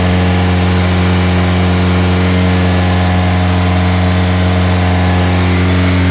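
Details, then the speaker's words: Budget K-swap engine after a new fuel pump was wired direct, tune not yet done: a steady raised hum that never drops to normal idle, so it is idling high; adjusting the throttle cable didn't help, and the owner suspects the cheap eBay fuel pressure regulator. "everything's fine the car is revving really high and i try to adjust the throttle cable and it's still not going down"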